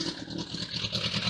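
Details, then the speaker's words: Suzuki Bandit 1200 restarted with starting spray while still hot: uneven, lumpy beat with unsteady exhaust note; running rough, exhaust and wiring known to be shot. "it is running rough, but that makes up."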